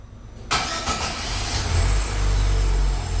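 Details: GM Celta after repair of a noise on starting, final test with radiator fan off; short clean crank, engine catches right away and settles to a steady low idle, no grind or whine from the starter; normal starting.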